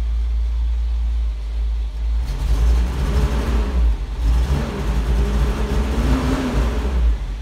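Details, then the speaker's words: 1984 Toyota Land Cruiser 45 series 2F petrol, stalls or runs badly after two minutes: uneven, lumpy idle with revs wavering and dipping; rough running, owner first suspected fuel or plug, ignition coil found faulty. "Could be a fuel problem."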